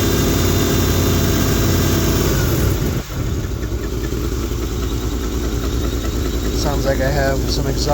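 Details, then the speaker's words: 1971 Lincoln Continental Mark III V8 after head gasket, pushrods, lifter, timing chain, Edelbrock Performer intake and Street Demon 625 carb; fast light ticking about three per second over rough idle, owner attributes tick to new Carter mechanical fuel pump, unconfirmed. "My M Carter mechanical fuel pump sounds like crap. That's the tick tick tick tick tick tick tick tick tick tick tick tick tick tick tick."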